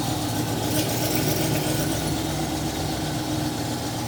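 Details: TVR Griffith 500 V8 idling in the workshop at first start after extensive work, new HT leads with original extenders fitted; coolant being filled and burped. Steady, even burble with no misses, knocks or ticks; normal healthy idle.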